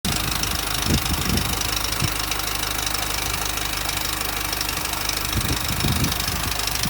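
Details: 2004 Mini Cooper S R53 facelift, 109k: idle with dry uneven metallic rattle over harsh hum; established timing chain noise, owner suspects chain already jumped and front guide possibly broken.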